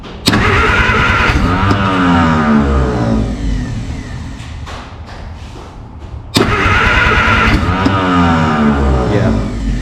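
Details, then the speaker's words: Free 1951 Plymouth (described as 1952 Cambridge) with formerly locked-up engine, only a 12-volt coil hooked up, generator belt off: two long bursts of steady cranking with a few weak pops, trying to fire but never keeps running; firing order doubted, more juice suspected. "It wants to fire up. Maybe more juice."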